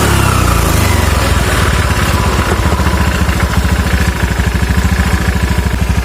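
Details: Scooter CVT after fixing damaged rollers that had caused a rough, noisy drive: steady low thump at idle with even beat, no harsh rattle or grinding from the belt side; normal idle after repair.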